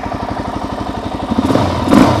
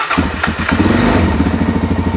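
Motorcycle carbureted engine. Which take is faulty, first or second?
second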